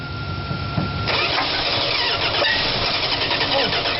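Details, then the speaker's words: 1971 Dodge Coronet on jumper cables: the starter churns, then the engine catches after about a second and fires roughly and unevenly. It briefly catches while cranking. "it's actually burning fuel really yeah that's the gas in it oh my god this might be the easiest one to revive yet"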